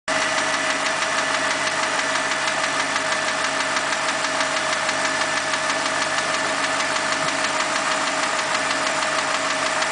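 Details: BMW 545i V8 petrol running: fast light ticking over steady hiss and a high tone; engine ticking noise, dealer repair quoted about $7000.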